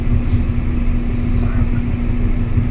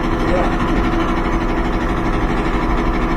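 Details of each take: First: Kenmore dryer after a fix for loud clicking noise, with new drum wheels fitted: a low, soft drum rumble turning evenly with no squeal or clicking, running smooth like new. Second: Kenmore dryer running loud: drum rumble with a steady thump about 2.5 times a second, then winding down; support roller wheels or belt-tension idler wheel suspected.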